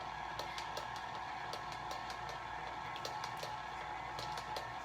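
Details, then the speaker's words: Mixer creaming cream cheese and sugar: a light, regular ticking knock about twice a second over the motor's steady whine; owner suspects a rod knock, cause unknown. "I thought if you can hear that my mixer it has a little rod knockin or something I probably need a new one"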